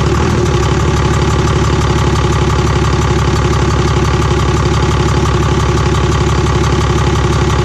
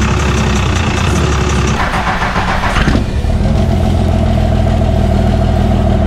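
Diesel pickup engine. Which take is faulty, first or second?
second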